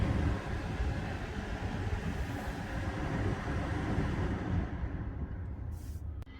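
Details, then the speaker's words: 2012 BMW 3 Series F30 cabin blower after leaf debris was removed from the fan and the cabin filter replaced: smooth, even rush of air with no rattle or ticking, then winding down. Normal blower operation. "That's how it should sound."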